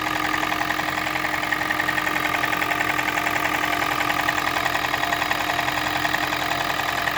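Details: Toyota Prius 20, 1NZ-FXE petrol engine that knocks and burns oil, at idle: light fairly regular tapping about 160 per minute over the engine hum; knock, cause unknown.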